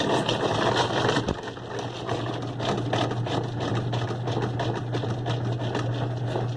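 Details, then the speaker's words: 2005 Kenmore 70 Series direct-drive washer: steady low hum with an uneven rattle during wash, coupler not the source; noise suspected from the water pump. "ruido pues es la bomba del agua o no puede no tienen ruido del cople pero con el modo delicate verán como tiene el problema"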